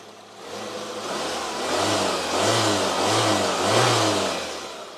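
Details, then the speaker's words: Fiat Panda 4x4 after replacing the timing belt, tensioner, water pump and thermostat. The engine catches cleanly, then blips up and down several times with a smooth, even note and no knocks, with the water pump and belt checked. It runs like a clock. "Ça tourne vraiment comme une horloge ces petits moteurs."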